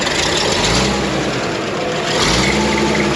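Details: Dragline diesel just started with ether and a jump start after a new starter solenoid was fitted: steady, even diesel drone under loud spray hiss, no knocking or hunting; normal running.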